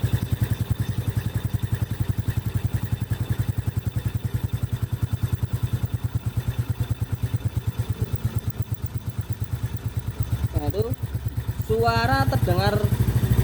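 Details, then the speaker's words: Honda Supra motorcycle with heavy starter complaint: fast, even light ticking like a squeaking mouse at low rpm, about two per second, from the cylinder head; top end starved of oil, oil passage suspected. "keluhan starter menjadi berat suaranya ada seperti suara tikus ya C terdengar pada saat RPM kecil"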